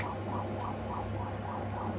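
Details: Hantarex Polo 25-inch arcade monitor that developed a blue tinge and then shut off: soft regular clicking about three times a second with a steady hum, no neck glow, and it won't start. The owner is considering a cap kit.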